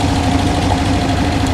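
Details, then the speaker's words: 1968 Porsche 912, 1600 air-cooled flat-four, after cleaning and new parts: slightly uneven, wandering idle that keeps jumping around; backfiring through the carb suggests timing too far advanced, timing to be checked with timing gun. "she's jumping around more than I like so uh let me get the old uh timing gun on it"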